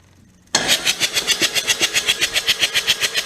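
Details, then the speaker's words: Kubota D722 three-cylinder diesel started on key with a charger connected, after pump work: fires instantly and settles into an even clatter of about four beats a second with no misses. Running as it should. "It's working fine. So that's working how it's supposed to work."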